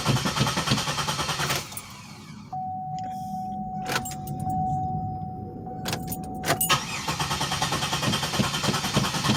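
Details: 2007 Pontiac Grand Prix that hadn't started for about a week, cranking after adding five gallons of 91 fuel: starter churns in bursts with door chime between, never catches; crank no start, owner suspects fuel problem.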